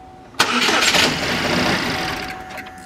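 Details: Chevy Malibu Ecotec engine after sensor replaced, half tank of fuel: catches on crank, fires briefly, then revs sag and it dies within about two seconds; starts then stalls, same as that morning.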